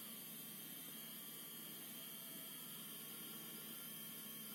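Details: ASUS Dual RTX 2060 SUPER EVO OC graphics card under load in heavy games like Metro Exodus: faint steady high-pitched coil whine whistle and crackle over soft fan hiss.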